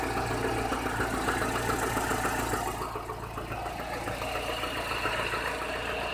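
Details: Chevrolet Niva at 45,000 km, idling with a steady, fairly regular light knock about three to four a second, getting clearly worse since under 30,000 km; cylinder head replaced under warranty early 2017, bottom-end complaints dismissed; source unknown.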